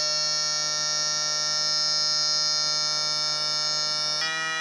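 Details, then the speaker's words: Two-transistor BJT positive-feedback oscillator driving a speaker, smaller capacitor swapped in for higher frequency: steady, piercing alarm-like tone with fast regular warble, stepping to a new pitch near the end; oscillator working normally. "We could even get a higher tone, higher frequency by adopting a smaller capacitor like this."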